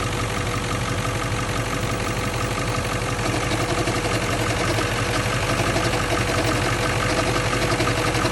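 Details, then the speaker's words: 1997 Ford F-350 7.3L Powerstroke diesel, 164,000 miles, warmed-up idle: intermittent uneven rattling knock about three times a second over the clatter, resembling rod knock; traced to a failing alternator bearing. "we got a little rattle slash knock noise so once it warms up a little bit you'll start to hear it almost sounds like a rod knock but it's intermittent"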